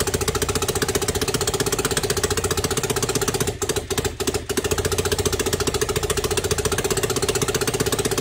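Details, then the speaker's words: Freshly assembled Jawa 500 OHC single on first test: lumpy, uneven firing about four beats a second, stumbling and nearly dying; ignition timing shifted due to a missing tooth in the dynamo gear drive, rough running. "Prvý problém bol taký, že motor sme naštartovali a chvíľku vzdochol, prestal ísť. Po kontrole sme zistili, že sa zmenil prezápal."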